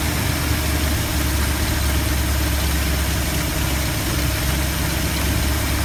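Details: 1972 Ford F250 with 360 V8, after a Pertronix Flame Thrower II distributor install with new coil, cables and plugs and the distributor repositioned: steady, even low idle rumble with no stumble or lope; normal, smooth idle.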